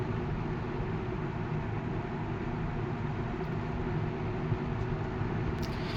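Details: 1980 Galaxy 3713 three-speed box fan with shaded pole motor on a variac, low speed drawing about 1.1 A: soft, steady low hum with no ticking, rubbing or wobble; normal running.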